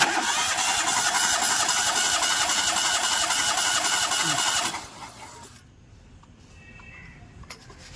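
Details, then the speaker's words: Suzuki Alto with a pickup problem, compression test: starter cranks steadily at about 220 beats a minute for four seconds without catching; the middle (second) cylinder has weak compression while the other two read above 150; head to come off to check tappets or valves. "കുറവുണ്ട് കേട്ടോ. ഈ നടുവത്തെ സിലിണ്ടറിൽ compression കമ്മി ഉണ്ട് അല്ലേ."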